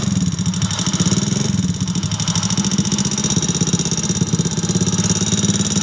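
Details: Motorcycle at idle: fast, clattery tick running steadily over the idle; suspected mechanical knock in the top end (piston slap, rocker arm or cam bearing), source unconfirmed.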